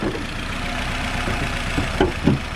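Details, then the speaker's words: Nissan Rogue after new spark plug and ignition coil, having stalled on a test drive with P0300 multiple misfire: low idle with uneven stumbles and irregular thumps, no smoke; owner wonders if the new plug is to blame. "it's not smoking but it's doing a lot of misfiring"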